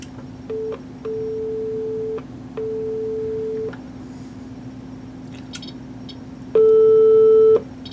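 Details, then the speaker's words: 1940s Air King 78 rpm phonograph, amplifier driving a roughly 4-ohm speaker (2.9 ohms measured), before the leaky capacitors are replaced: clean, steady mid-pitch tone bursts, the last louder, no hum, crackle or distortion; sounds pretty good; normal test tone output. "Yeah, so that sounds pretty good, considering."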